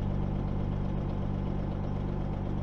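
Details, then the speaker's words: Peterbilt 379 diesel truck idling after a repair to build air pressure, primary and secondary gauges, governor cuts in at 100 psi and out at 120; steady even idle, low unchanging drone, no knocks or misses; normal idle. "all right so we got the truck running this is the air pressure gauge primary and secondary"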